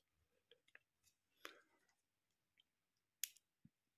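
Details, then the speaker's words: Five-pin relay on the bench with its coil powered: a single crisp click as the coil pulls in, the normally open contact closing and common pin 30 switching over; the relay is working normally. "can hear it click now what was normally open is now closed"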